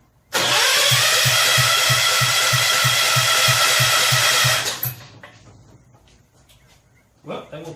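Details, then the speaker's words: Rebuilt 10 hp Kohler K241 in a John Deere 210 garden tractor, cranking on full choke after cleaning the points: starter turns steadily with no catch because the coil hot wire was left unhooked; once it is connected the engine runs. "let's try it with the hot wire actually hooked up I spaced that off try again"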